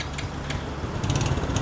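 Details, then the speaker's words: Yamaha Sight motorcycle after flood submersion, engine opened and cleaned: mic close, smooth low idle with light even patter, no knocking or ticking; engine quiet and healthy, break-in still advised. "Ayan o. Tahimik na yung makina. Swabe na."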